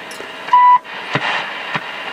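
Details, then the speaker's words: National NC-190 receiver, 1960s, during alignment with generator around 1.5 MHz: steady whistle near one kilohertz over receiver hiss, dropping as the dial moves; heterodyne birdies heard while tuning, dial reading off. "hear some birdies on the way through there"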